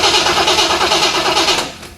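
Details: 1970 Corvette C3 that won't start after under-hood upgrades; the starter spins the engine at an even beat but it never fires, then winds down; spark tester shows no spark, new distributor suspected faulty: cranks but no start.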